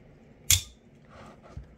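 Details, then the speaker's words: Newer deep-carry-clip Axial Shift OTF knife, before disassembly: one sharp snap with a brief bright ringing tail, then a softer click, a metallic ting as the blade fires; owner suspects the spring and plans to grease it, cause unconfirmed. "But this knife is kind of making some tinging sound."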